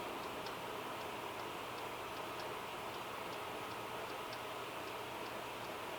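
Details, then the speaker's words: Sony PS2 SCPH-50001 on restart with a Final Fantasy disc inserted; quiet, steady spinning with faint ticks about three times a second as the drive keeps seeking. The disc is not read, giving a disc read error. "That was about 12 seconds to reboot. Disk read error."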